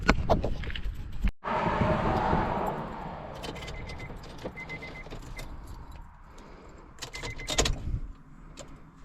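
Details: 2001 Honda CR-V EX with B20 engine, manual AWD and aftermarket intake: keys rattle, a short crank, then a low, even, quiet idle with no knocks or misses; the engine runs smoothly.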